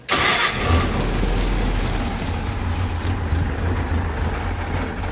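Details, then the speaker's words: Engine the morning after work, still smoking heavily. It catches at once into a lumpy, uneven low rumble that never smooths out and only starts and keeps running on choke. "Ugh. She'll run with choke. She'll start with. Choke."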